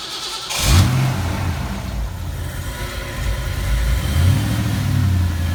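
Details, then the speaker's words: Fox Body Mustang 5.0, first start after a new water pump, timing chain and bigger alternator: quick catch, a blip, then an even, steady idle with no knocks or rattles, and it is charging. Normal start and idle. "charging sure is that's a good sign sure okay really good yeah not bad for as long as it was apart right"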